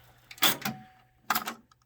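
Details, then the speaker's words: Sony stereo system cassette deck B on rewind: two clattering mechanical bursts about a second apart with brief thin squeal between, counter keeps counting; cause unknown; rewind misfire noise. "yeah it wasn't making that big of a squeal JK 18 if you're watching this can you figure out what that noise is because whatever it is it's a misfire"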